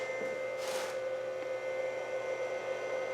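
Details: VFD mounted on top of the original electrical box, energized at the breaker: a steady mid-pitched hum with a soft, even fan whir and no knocks or rattles, the drive running normally.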